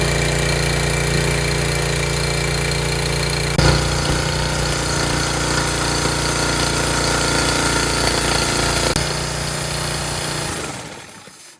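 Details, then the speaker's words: Small mower engine that arrived upside down in its box, with oil level uncertain, started on the first pull once switched on. Steady, even putter that holds speed without misses or knocks; running healthy. "Sounds like it works good."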